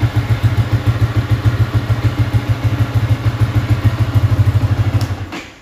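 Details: Yamaha Y15 freshly built with 63mm big-bore top set, not yet fine-tuned, before dyno: steady, deep single-cylinder thumping at about three beats a second, even and settled, then switched off; runs normally.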